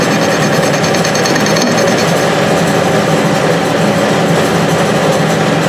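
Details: Restored Clausing 6930 metal lathe, newly fitted with a VFD, taking a facing cut on power feed: steady, chatter-free cutting hiss with a constant motor hum, no thumping or squeal; cuts smoothly with hardly any vibration.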